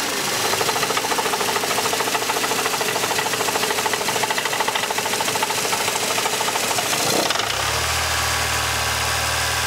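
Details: Mercedes C124 230CE, 2.3 M102 petrol engine: harsh metallic rattle, roughly three knocks a second, at low revs, then a calmer hum; exhaust, heatshields and flex plate ruled out, cause unclear.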